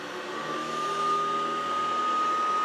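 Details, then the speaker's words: Hoover Decade 80 (convertible) upright vacuum after repair: a steady airy rush with an even mid-pitched motor hum, no grinding, rattling or surging. It runs normally and is expected to improve with use. "oh that sounds good not the best but it's good enough uh that'll probably get better with a little bit of use"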